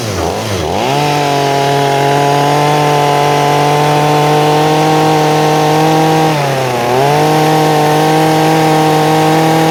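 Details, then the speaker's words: Stihl MS250 chainsaw after carburetor and fuel line replacement, mixture screw closed slightly: RPM rises to a clean steady high-revving scream after a brief dip and holds even; normal high-speed running. "I'm going to close that up a little bit while the camera is running and as I close that up a little bit you will hear the RPM [Music]"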